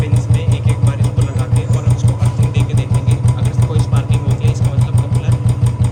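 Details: Royal Enfield Bullet Standard 350 BS4, 2018, with a battery-drain no-start complaint, idling while the charging coupler and rectifier are tested and found fine. Steady thump about three beats a second with no misses or knocks; healthy idle.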